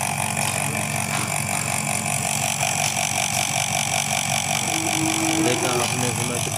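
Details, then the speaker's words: Pressure/kitchen exhaust fan motor running with a harsh rattling whir because its sleeve bushes are worn and cut, letting the shaft knock; fixed by replacing the bushes. "आवाज है इस के उस of कटे हुए हैं इसीलिए यह आवाज कर रही है"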